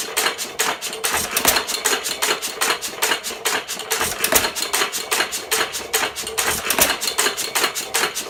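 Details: 1917 Fuller and Johnson Model N hit-and-miss engine, first run in ten months: crisp, even ticking about two and a half per second with clean mechanical clatter; runs fine.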